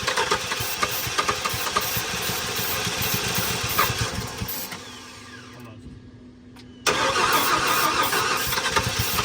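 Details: 1994 Ford F-150 parked seized for 7 years, fresh gas, primed fuel line: rapid cranking, a pause, then cranking again without catching; loose distributor throwing ignition timing off, fixed by tightening it.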